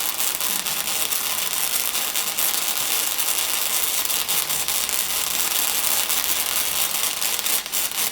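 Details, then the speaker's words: Beginner's early MIG welding attempt: hissy crackle with uneven surges and dropouts instead of a consistent frying-bacon sizzle. Welder thinks the tip was held too far from the material. Erratic MIG arc sputter. "and on this world you can kind of hear some of the fluctuation in the frying bacon sound where it kind of has some variation in it I think I was getting my tip too far away from my material so I need to concentrate on that a little bit better it still sounds like a lot of sputtering to me not you know consistent frying"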